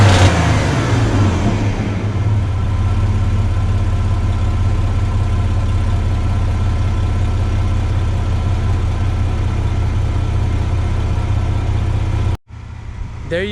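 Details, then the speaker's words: Chevy S10 after the exhaust repair, replacing the restrictive factory 2 in twin-cat system: quick rev then a steady, smooth low rumble, quieter in the cabin, no rasp or leak ticking; healthy exhaust. "It's much more quieter in the interior. And it has a nice little rumble to it still."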